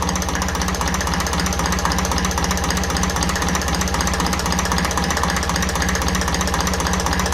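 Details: 1954 Ferguson TEF 20 diesel tractor after adjusting the diaphragm housing on the rear of the fuel pump: ticks over at a steady, even beat about four per second, no hunting; healthy settled idle.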